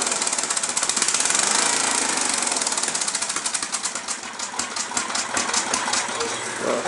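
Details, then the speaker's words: Snapper small engine: uneven running with ragged tapping about four a second; governor suspected to be misadjusted, while carburetor float misadjustment is also suspected. Not confirmed. "it's actually in the governor out huh seems like it's in the governor huh maybe the governor's not adjusted right"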